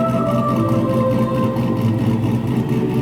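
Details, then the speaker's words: Turbo LS1 Z28 Camaro with a stock cam, in January. A loping idle that rocks about four times a second like a big cam; the choppy idle is deliberately tuned into the ECU ("Ghost Cam"), not a fault. "we weren't able to actually afford a cam to put into the car, right? But yep. We've got the next best thing. Yeah. It's called the Ghost Cam."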